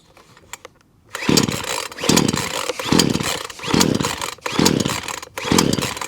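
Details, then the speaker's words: Titan two-stroke chainsaw after a new primer (purge) bulb and new pull cord, started after choking and priming: it fires and revs in even, crisp bursts about once a second, so it is running properly. "so there you go that's for titan um two-stroke uh chainsaw now all up and running new primer bulb or purge bulb as they call them and a new pool cord all done"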